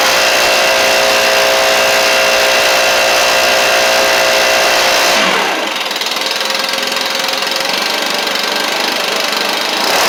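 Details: Backpack blower (Stihl BR700, BR420C or Husqvarna 125B) after a Hipa carburetor kit rebuild and choke adjustment: high, buzzy two-stroke drone holds, drops in pitch around five seconds, then settles into an even run; running healthy.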